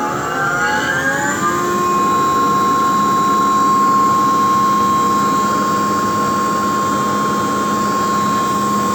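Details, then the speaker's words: ABB vacuum pumping module with the vacuum pump running: steady even drone with a constant high tone, no knocks or surges; normal running. "the vacuum pump's running now. We can go ahead and turn the booster to the auto position, and the booster won't actually come on until the vacuum pulls down to 5 torr."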